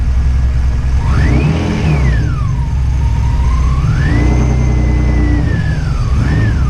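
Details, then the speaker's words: Widebody RHD BMW E36 on individual throttle bodies, running alpha-N without MAF: idle wavers with a wandering whistle over it, hunts and dies; ongoing idle instability, cause unclear. "So it idles and it dies. So that's what I've been having issues with"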